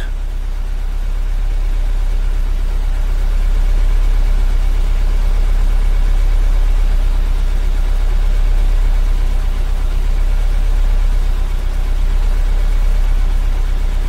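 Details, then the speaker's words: 2015 Kia Soul 1.6 L at idle, check engine light on, stuck in open loop: heavy, lumpy, irregular low throb with the whole car shaking, an engine misfire. "yeah this engine is shaking like crazy open loop fort"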